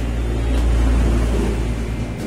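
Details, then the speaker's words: Electric water pump after replacing a leaking seal that stopped it drawing water, test run on mains: spins freely but a low motor drone with an uneven, rough buzz, later cured by gently tapping with a hammer; rough running noise. "seret Tuhannya lancar cuman ada suara-suara yang tidak enak ya"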